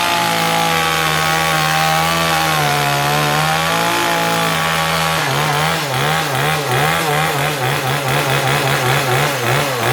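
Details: New Kanto KT-CS1700 two-stroke chainsaw in a cutting demo after assembly; it starts easily and accelerates without bogging: a strong, steady buzz that dips and wavers as the chain bites into wood, then recovers cleanly. The saw runs normally.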